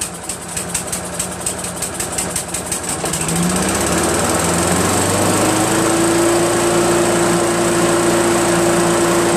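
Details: Craftsman vac chipper with 6.75 Briggs engine after a thorough carburetor clean and new fuel seat, auto choke connected: quick pull-start chuffs, then it catches and settles into a steady, even high-speed run with no misses; runs like new.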